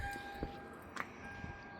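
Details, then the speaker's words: 2002 Toyota Sequoia 4.7 V8 after fuel pump replacement (old pump bad, zero fuel pressure, crank-no-start), key on to prime lines: faint steady electric hum with fixed tone, fuel pump now audible, normal priming. "We can hear the fuel pump now. So one more time. Prime."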